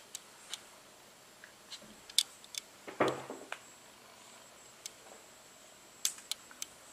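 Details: Sony NEX-5N camera body in a quiet room: sharp, irregular light clicks about every second, heard before and after a service-centre repair; the clicking remained after repair.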